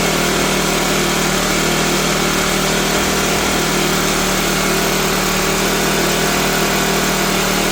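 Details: Cheap used Troy-Bilt backpack blower that reportedly ran last year but not this year, just started after five pulls on full choke: it screams at a high, steady rev with no drop toward idle, racing too fast, and the owner is unsure how the throttle works.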